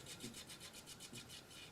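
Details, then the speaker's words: Sony boombox (CFD-V35 or CFD-S350, 1999/2005) CD drive with a disc inserted: rapid rasping grind, about four scrapes a second, as it struggles to read, worked the day before and eventually read; cause unknown. "pop it in and you'll hear the grinding noise it worked yesterday"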